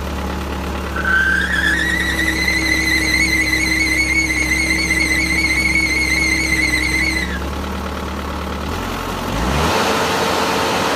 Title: Final Drive Problem: High Pitched Squeaking Sound